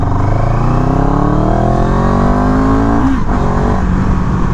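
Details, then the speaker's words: CFMOTO 700CL-X in second gear from about 10, throttle opened in Eco mode. The engine pulls lazily at first before revs build, a brief lag the rider attributes to the Eco map; throttle lag in eco mode. "there was that little bit of lag that I was talking about but that was Eco"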